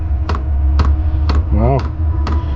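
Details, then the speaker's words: Diesel heater in a DIY RV, external tank with top feed line, just fired after air bubbles in the line; steady low blower hum with a sharp fuel pump tick about every half second as it ignites and blows: normal heater running. "Oh, I hear I hear something igniting. That's different. Sounds like a furnace kicking in. Maybe that's some heat. Oh, there we go again. Sounds like a blower."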